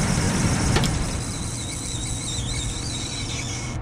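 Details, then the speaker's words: Carrier package unit being repaired for no cooling and a blank thermostat, running after one wire, likely to the economizer, was unhooked: steady low hum with an even fan whir, no knocks, rattles or squeals; unit sounds healthy. "Must be this one going to the economizer because the unit's still running. It's got a real nice wobble."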